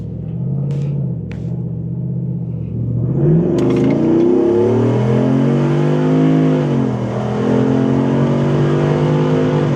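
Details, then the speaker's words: Jeep Wrangler JK with a new 505 hp AMW 392 Hemi V8, replacing the 285 hp Pentastar, under brisk highway acceleration on its first test drive: deep note climbs smoothly, dips at each upshift and pulls cleanly, no misfire; normal acceleration. "Holy crap. Wow. Needless to say, uh, acceleration is brisk. 505 horsepower is, uh, quite a step up from the 285 that the old Pendastar had."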